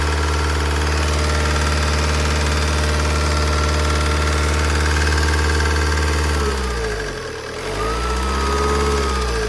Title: What is this noise? Lifter tick? Insignia 2.0cdti 160hp